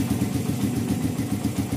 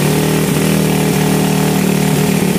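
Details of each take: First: 2014 Satria FU bored-up single idling after carb rejet: sharp, regular puffing ticks over the single-cylinder beat. Slight exhaust leak at the header joint of a poorly fitting aftermarket exhaust neck. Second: 2014 Satria FU bored-up single after the idle adjuster was cut and tidied: a steady, even idle with a smooth low beat and no hunting. Normal idle; the header still leaks slightly and the exhaust neck needs replacing.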